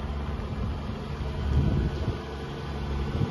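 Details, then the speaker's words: Buick Park Avenue Series 2 with 3800 V6, cold start after slow cranking: low, uneven, lumpy rumble at cold idle, running rough until warmed up. "whoa that's a very rough start the 3800 make that noise before we're gonna have to run and warm up oh boy that's not one happy sounding 3800 D6"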